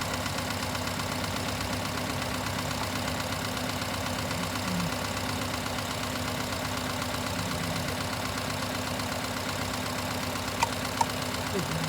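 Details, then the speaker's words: Four-cylinder engine idling during misfire scope diagnosis: uneven, lumpy beat with a recurring stumble, about 160 a minute; one cylinder misfiring because its ignition coil was left off. "um probably a reason because it didn't have a coil so these things happen in when we're working on cars in real life when the pressure's on"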